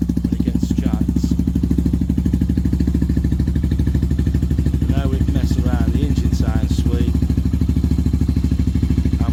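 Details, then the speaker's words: Benelli 125 TNT Tornado single after output shaft bearing collapse repair with full strip and case split, exhaust refitted; steady even putter about three beats a second, no knocks or rattles, sounds much better. "right guys we've got the exhaust on now that sounds a lot better we ain't going to blow the street out now"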